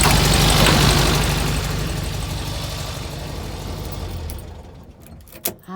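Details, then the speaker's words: VW Beetle 1303 Super Beetle on a cold start, the engine starting first time and sounding strong: an even, steady pulsing idle with no knocks or misses that settles smoothly, a healthy normal idle after the cold start. "first time sounding strong"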